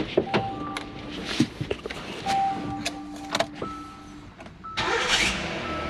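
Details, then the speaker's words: 2017 Hyundai Santa Fe XL 3.3L after a starter replacement for a no-start, with silicone sprayed on the belt: short high squeaks come and go while cranking, still present and possibly pre-existing. Squeak while cranking, source unknown. "yeah so they're just still that type of squeaking but anyway um you could be I didn't hear that last time maybe it was already been there that type of noise"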